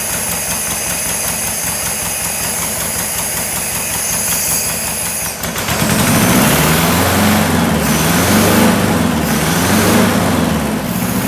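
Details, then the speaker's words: 1976 Porsche 914, VW Type 4 2.0 fuel-injected engine run on a stand after 30 years in a barn, following oil change and new fuel lines and vacuum hoses; lumpy, wavering idle, rough running, possible vacuum leaks, timing and plug gap not yet set. "starting to sound a little better all right tomorrow we'll mess with the timing"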